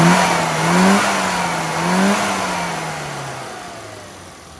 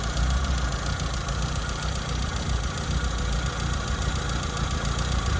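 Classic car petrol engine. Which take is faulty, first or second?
second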